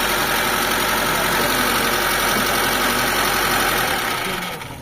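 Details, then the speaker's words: Mitsubishi Lancer 4G13 carburetor engine, hard starting and noisy, idling fast and loud with a busy, clattery top-end noise; idle won't drop because the carburetor sticks, fixed with a surplus carb. ">> So nagi-stock yung carb niya. Kain niyang bumaba."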